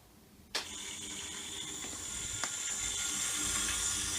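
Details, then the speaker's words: WDH-101P dehumidifier, about 15 years old, fan had been stuck; after removing screws the fan spins freely: sudden start into a smooth, even, high airy whir with no scraping or ticking; normal fan running. "Now I have plugged it in. If I turn it on, you can see the fan motor working now."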